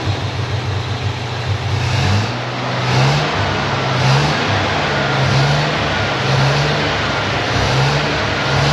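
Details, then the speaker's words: Lemonhead: steady idle with a few light rev blips, engine keeps running with ignition switch turned off, then seems to die on its own; timing light not working. Engine runs on after ignition switched off. "minor issue it doesn't turn off with the ignition switch Yeah I'd rather it did although sounds like it just died on its own"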